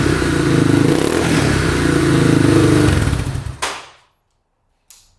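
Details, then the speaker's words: Yamaha Warrior 350 quad bought non-running, after repair: single-cylinder thumps evenly, starts right up and picks up cleanly on the throttle with no knock, still smoking a little; running healthy. "Alright, she's running pretty good. Starts right up. Engine sounds good, no knocking."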